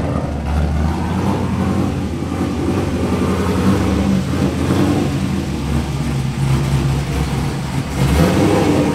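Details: Mazda FD RX-7 with rebuilt 2002 LS6 V8, Trick Flow cam, essentially straight-piped exhaust; deep, lumpy burble with choppy cam idle, rising and falling cleanly with throttle blips. Normal running.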